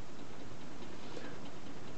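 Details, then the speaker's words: Homemade tin-can Stirling engine with JB Weld power piston in copper tube: light, even slow tick-tock; owner suspects slight excess play where the connecting rod joins the pin. "I don't know if you can hear the Click Click clicker I think that's where the Conrad joins the pin I think there's a little bit of play in there just a little bit too much"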